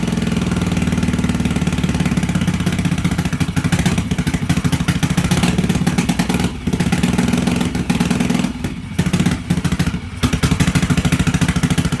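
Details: 1986 Yamaha XV750 Virago V-twin, first start after winter with Gen1 KJS single-carb manifold, old gas, dirty carbs, choke disconnected, cold: uneven chugging with dropouts and stumbles, struggling to hold idle; runs rough, needs tuning.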